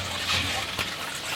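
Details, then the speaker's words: New water heater tank filling from the cold supply after installation, heard via the turned-on supply valve: steady rushing, splashing water with no knocks or hammering; normal tank filling. "Now I'm going to turn it on and you'll probably be able to hear it. The water now the water's going in there."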